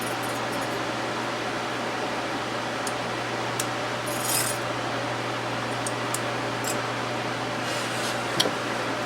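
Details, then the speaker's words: Small unbranded desk fan, model HVRA4D, 12 W motor, running after blades, bent from the factory, were hand-bent but still off: steady motor drone with low buzzing rumble; vibrating quite a bit from bent blades. "let's just see how this runs it was already on okay yeah it's vibrating quite a bit"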